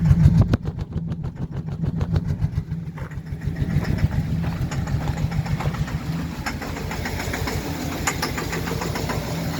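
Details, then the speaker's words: 2013 Chevy Silverado 4.3 with throttle body codes, check engine and service traction control lights on; uneven idle with an irregular stumbling beat about three and a half per second that never settles; sounds like misfire, suspected not confirmed. "The truck is acting up now. sounds like it's misfiring."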